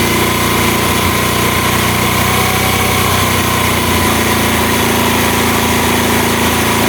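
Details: Honda Mega Pro mono after an air leak causing hard starting and idle dying was fixed. The single putters at an even idle for several seconds with no hunting or stumbling, settled and steady.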